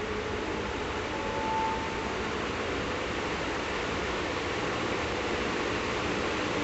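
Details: 1954 Emerson 16-inch three-speed oscillating table fan running on slow speed, filmed at an angle so the wind does not hit the microphone. There is a steady, even whoosh with a soft motor hum and no ticking or rubbing. The oscillation screw is jammed. It runs normally.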